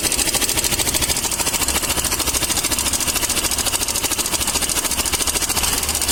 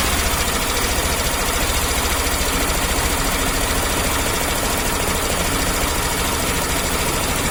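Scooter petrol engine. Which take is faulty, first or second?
first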